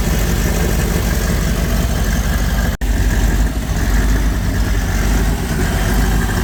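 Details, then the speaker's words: Tow truck idling: heavy low rumble wavers and dips, black smoke, engine flopping around, about 33-34 psi fuel pressure at idle; rough rich idle from corroded engine computer. "Yeah, still not perfect. Still running rich. I don't know if you're picking it up on that camera, but I can still see the black smoke coming out of there. The way the engine is, it's just flopping around in there."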